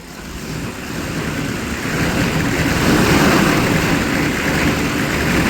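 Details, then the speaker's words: 1995 Chevy 3500 6.5L Detroit diesel dump truck, cold start after sitting all winter: uneven, lumpy idle swelling as throttle is fed, smoky and shaking; rough idle nearly stalling when throttle released. "keep your foot on the throttle tell idle's out keep it up it's going to die"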